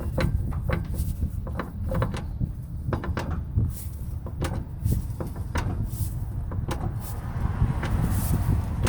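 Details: 2006 Nissan Frontier: repeated sharp clunks and knocks over a low vehicle rumble. Often mistaken for the transmission, the noise comes from the driveshaft u-joint.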